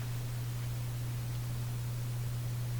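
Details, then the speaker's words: Canadian General Electric A55Z tube radio with #41 output tube, at switch-on: deep pulsing mains hum that smooths but stays, with faint hiss and no program; a filter capacitor may have been removed, and hum seems lower with volume up. "Sounds like a very deep pulsing hum. That's smoothing out. It's still there. Quite a deep hum."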